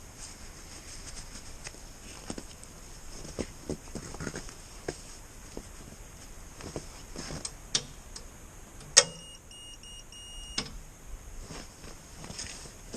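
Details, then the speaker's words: Allis-Chalmers D17 tractor no-start: meter leads on the solenoid's battery and starter sides, key turned to start; one crisp click, then a steady high beep for about 1.5 s, shows the starter solenoid closing and passing current normally. "okay so the solenoid's working i heard a click but i also heard the beep"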